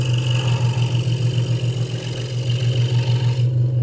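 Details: Hegner Multicut 2S scroll saw cutting a Valentine's wooden gift after the blade protector, which had rattled, was moved back down; even, fast pulsing blade buzz with no loose rattle, smooth cutting, sounds normal.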